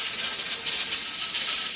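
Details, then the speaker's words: Pressure canner on steam, set for a 90-minute processing time: a fast, hissy rattle as the weighted regulator jiggles a couple of times a minute. This is normal at operating pressure. "so it'll probably start rattling in another 30 seconds or so so it'll rattle a couple of times a minute"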